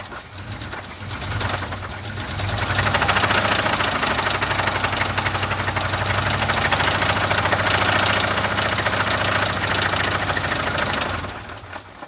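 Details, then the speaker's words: Blown engine, mildly chilly start at about minus 12: loud sharp knocking about four per second rising and falling with revs while still making oil pressure; rod knock. "yeah it's definitely a rod knock"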